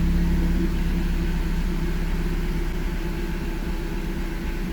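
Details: Audi with MED9.5.10 ECU after fixing an EEPROM checksum fault (P0601/16985) that caused no crank, no start: low steady idle rumble that smooths out and settles without misses, knocks or stumbles; normal idle.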